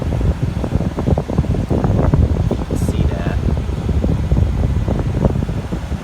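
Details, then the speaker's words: 1986 White Westinghouse 10,500 BTU window air conditioner after coil cleaning and reassembly: steady low whoosh of fan and compressor, no rattles, squeals or clunks; running normally, though cause of rotted corroded coil unknown. "okay i've got it back together i got my temperature gun working and uh this thing seems to be working"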